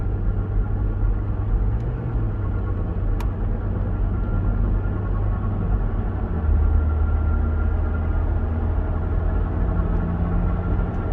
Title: Propeller shaft sound bad bearing??